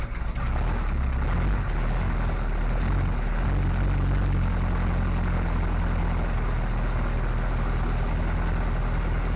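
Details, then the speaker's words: Small block Chevy 350 V8 in a 1955 Willys wagon, now running off a temporary tank after fuel delivery fixed and a suspected manifold vacuum leak hole addressed; deep steady even idle, no knocks or ticks. Carburetor still needs adjustment. "All right, George. I think we got it. Got some adjustments to make on that carburetor for sure."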